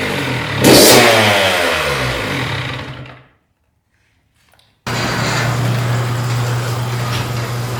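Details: 2001 Honda CR80 two-stroke after cylinder head, studs and gasket repair for a head coolant leak; no leaks from head bolts or hoses. Sharp rev falling away, brief quiet, then steady crisp even idle; normal running.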